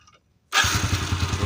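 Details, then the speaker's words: Honda Beat scooter after the loose electrical and starter wiring was cleaned and tightened: quiet, then the small single catches almost instantly and settles into an even putter; easy, healthy start. "Oke kita akan coba starter enteng dan langsung nyala sekali lagi"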